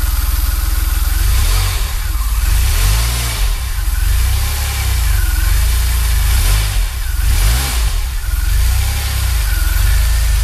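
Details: DeLorean petrol engine after fixing an exhaust leak and bad spark plug: revs up and down smoothly, then settles into a steady even idle with no ticking.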